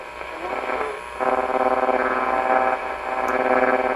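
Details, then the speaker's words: 1947 Chevrolet car radio running on 6 volts drawing about 5 amps, B+ around 175 V: rough buzzing hash under the audio pulsing three or four times a second; worn vibrator in the power supply. "that sounds like vibrator"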